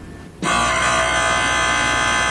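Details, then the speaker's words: Eriez B laboratory electromagnetic vibratory feeder: sudden harsh steady metallic buzz of the feeder striking; turn it off immediately and set the air gap. "never operate the unit if you hear a striking noise if you hear this sound"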